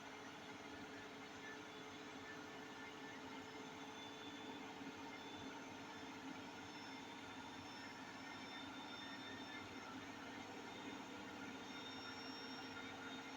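Heavy, roaring rumble with a steady hum as the drum runs at top spin speed; points to worn drum bearings, not yet confirmed. Cause suspected, not confirmed.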